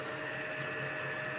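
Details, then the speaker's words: Lorch A11 toolroom lathe driven through an overhead belt pulley system by a variable frequency drive at 50 Hz: starts slowly and picks up to 1400 rpm; steady, even hum with high motor whine and soft belt slap; runs smoothly. "if we press the green button this will start nice and slow and pick up you can hear the belts there pick up down there to"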